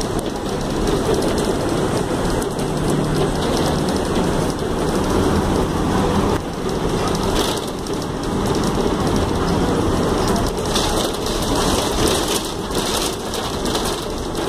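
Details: Tapanã II city bus in Belém: loud continuous rumble with rattly surges and rain hiss on top; unusually noisy running, cause not identifiable.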